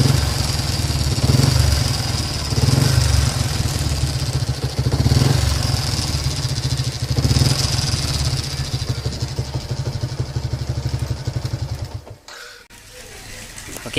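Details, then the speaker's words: Yamaha LC135 5-speed single-cylinder motorcycle idling with a loose, rattly metallic clatter over the beat, described as loose-metal engine noise; owner says the clutch was recently replaced; worn, rusted water pump bearing. "Oke, aku harap korang boleh dengar lah bunyi engine dia tu. Dia ada seolah-olah bunyi longgar, bunyi besi longgar."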